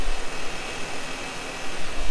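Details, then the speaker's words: Kearney & Trecker horizontal mill, spindle with horizontal arbor and newly made 4140 arbor nut: steady low hum with uneven wavering rumble on start-up, runout at the front arbor support bushing, suspected loose bushing/nut; tightening the nut removed the wobble. "as you can kind of hear there I've got some run out and I noticed in this front bushing whenever I start this up"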